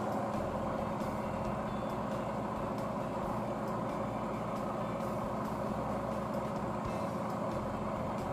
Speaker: Ayun, maririnig ninyo umaandar na po yung ating spin dryer machine.